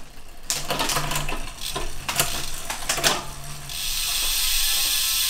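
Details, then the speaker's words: Winspace Hyper 50mm carbon rear hub, hand-spun after greasing pawls, axle and tightening cassette to fix creaking: quick even ticking settling into a smooth light whir, no creak or grind; sounds much healthier. "that sounds a lot healthier now is there any other possible areas it could be coming from"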